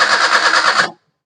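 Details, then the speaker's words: Maruti Suzuki Alto that died while driving, cranking with brief even starter churn and steady pulsing rhythm but not catching; battery and starter motor fine, engine turns correctly. Cranks but will not start. "അപ്പോ നമ്മൾ crank ചെയ്യുന്ന അവസരത്തിൽ correct ആയിട്ട് engine കറങ്ങുന്നുണ്ട് ബാറ്ററിലോ കാര്യങ്ങള ഒന്നും കാണിക്കുന്നില്ല starter മോഡറോ വേറെ പ്രശ്നങ്ങളോ ഒന്നും കാണിക്കുന്നില്ല"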